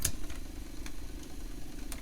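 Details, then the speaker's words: Atari 410 cassette program recorder after belt replacement, play not moving tape: low steady motor drone with handling clicks as the transport spins freely on normal fast forward, though play still struggles. "okay i can hear that advance is actually advancing"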